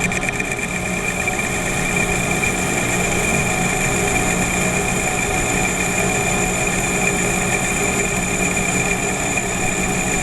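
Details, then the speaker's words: Lathe finishing cut with a hand-ground, honed right-hand HSS turning tool bit at a slower feed of 0.004 in (0.1 mm) per rev and 0.040 in depth; steady even hum, light hiss, no chatter; good finish, further honing planned. "and that's a pretty good finish there but we can do better"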